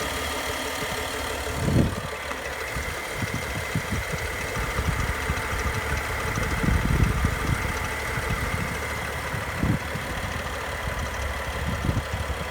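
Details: BMW N55 petrol inline-six at idle with an irregular extra knocking and ticking over the steady run; both chains, VANOS units, belt and rollers are all new, and the owner can't find the cause.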